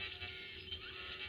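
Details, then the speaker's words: Echophone Commercial EC-1 radio after a shorted tuning capacitor plate was removed, first live test on an antenna: faint warbling oscillating whistles over hiss, no audio; traced to something back-feeding through the mains. "and we have some strange noise like this didn't hear that kind of like an oscillating"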